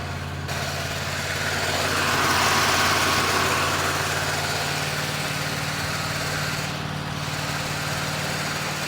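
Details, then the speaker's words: 1972 Chevelle V8, revived after 24 years abandoned, cold start with the throttle pumped while cranking: fires up to a steady, even low rumble with no knocks or misses. "Woo, that's a nice cold start, man! Thank you. This thing just fires up and idle nice."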